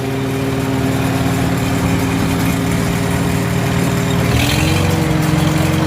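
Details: Farmall H tractor engine with new cap and new plugs gapped at .025 in; deep, even idle beat, no misses, lifting slightly near the end; sounds nothing like before, problem solved for now, full tune-up still planned.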